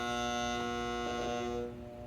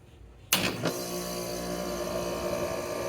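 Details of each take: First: Home air conditioner in desert heat: the contactor coil buzzes as the thermostat calls for cooling but nothing runs, then suddenly goes quieter. The coil receives 25.6 of 28 volts and the contacts are melted, so the contactor is failing. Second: Roughly 8-year-old home AC unit whose compressor had stopped while the fan ran; contactor failure assessed and contactor replaced. Cool is called from the thermostat: a sharp click, a smooth steady hum, then a clean stop. Normal start-up.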